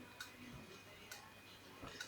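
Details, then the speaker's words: Laptop hard drive reported by an engineer as knocking, connected to a laptop. Sharp, isolated clicks about once a second repeat in a cycle over near silence; the drive stays undetected. A failing drive, cause not yet confirmed. "Как вы можете слышать что-то внутри стучит клацает циклически"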